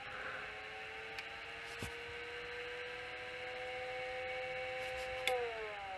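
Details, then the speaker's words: High-hours Sony SL-HF950 SuperBeta Hi-Fi Betamax with a worn replacement drum: at power-on a thin mid whine creeps upward with faint clicks as the head drum overspeeds, with garbled display. Owner suspects a grounding fault. "So if I turn it on and look at the display, I sort of get weird things on the display, but the head motor goes bonkers as well."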